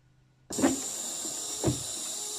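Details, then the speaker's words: Renault Scénic 3 rear wiper running with the tailgate trim removed: a hissy, scratchy drone with a rough surge at each sweep about a second apart, grinding that seems to come from inside the wiper motor. "On dirait bien en fait que ça vient de l'intérieur du moteur."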